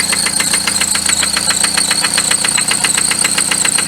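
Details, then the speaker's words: Engine with 95k miles idling with sharp metallic knocks about four per second from the bottom end; rod bearing failure, confirmed by metal debris found in the oil pan. "when the engine is running you can hear knocking sound i'm going to turn on the engine and then you take a listen to that"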